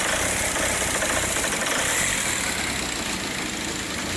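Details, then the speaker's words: 2004 VW Passat TDI 2.0 BHW runs terribly: uneven lumpy diesel idle with irregular shake; first suspected bad camshaft; multiple sensor codes stored. "the combust customer complaint is it runs terrible when it pulled in I thought for sure it was a bad camshaft"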